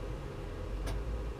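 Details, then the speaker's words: Furnace running normally: quiet, steady low roar with one brief tick, after touching a small brass clip by the mercury switch that wasn't making solid contact. "I touched that, and as soon as I touched that, the furnace turned on. In other words, you can hear it working right now, but here's where it was."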